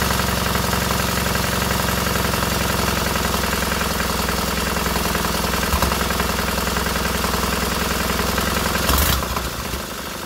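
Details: Freshly rebuilt K750 twin on first start-up, after a minor ignition fault stopped an earlier attempt: steady, even idle at about three and a half beats a second with no misses or knocks, both cylinders firing cleanly and heating equally; normal idle.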